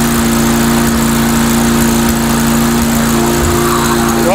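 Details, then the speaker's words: Mastercraft 3-in-1 mower with a replacement engine, old unit, RPM raised a little on test run: even steady drone, no misses, surging or knocks; running acceptably, owner suspects the carburetor. "than the OD po off it's not running too bad I figure you know what what the heck it's an old unit that's um it's probably the carburetor maybe running to R you know"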